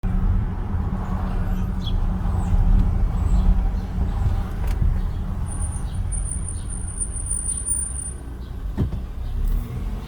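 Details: New 2020 Volvo XC90 T6 brake squeal: thin, very high squeal over low rumble when slowing from 20 to 0 mph in stop-and-go traffic; dealer traced it to the front brakes and replaced the front pads.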